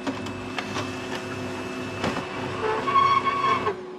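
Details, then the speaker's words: HP LaserJet Pro MFP M428dw printer while photocopying: uneven clicking from the feed mechanism, then a thin squeal near the end of the cycle, followed by load-paper and paper-jam errors; abnormal roller noise, cause not confirmed. "It's copying. You realize that it gives some weird sound with the rollers."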